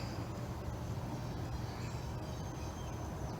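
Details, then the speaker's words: Outdoor home AC condenser unit in Florida while the indoor air blows hot: the fan is not spinning and gives a steady low buzzing hum. It only runs after a push with a stick, pointing to a failed run capacitor. "you notice right now the fan is not spinning and you hear it making that buzzing noise"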